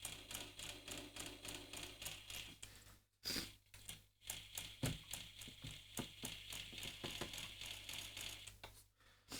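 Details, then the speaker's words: Beogram 3000 (5228) turntable, about 50 years old (1972–74), with the microphone placed near the idler wheel as it contacts the motor. An uneven dry clatter of three or four ticks a second over a low hum comes from the old, brittle, hardened idler wheel rubber. "that's not a great sound sorry that's not a great sound and uh it comes from The Idler Wheel being old and brittle so I'll need to remoisturize that"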